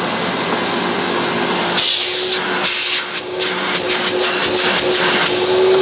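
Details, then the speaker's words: 1998 Hoover Alpina SC211 vacuum cleaner, marketed as "The Power of Silence": a constant high whir with airy hiss and a dead-steady pitch, no flutter or rattle. The motor is healthy but loud. "these were sold under the tagline of the power of Silence certainly not they certainly weren't silent"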